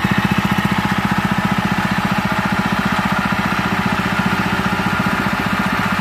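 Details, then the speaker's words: Honda GX160/200 engine after replacing the piston and governor gear, which had caused white exhaust smoke and a throttle stuck high: even, quiet idle at about 150 firing beats a minute, no longer roaring; normal idle. "Beginilah hasilnya, teman-teman . Suaranya kembali tenang, tidak menggelegar lagi."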